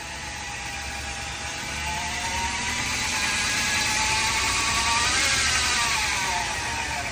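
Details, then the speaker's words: 2013 Ram 1500 rear axle: helicopter-like grinding whine starting around 10 mph and rising in noise and pitch with speed. A pinion bearing race sliver was found in the differential; rear differential pinion bearing is suspected, not confirmed. "This thing was uh suffering from a helicopter grinding noise while driving. start at 10 mph and continue to increase in noise and frequency uh as speed increased in the vehicle."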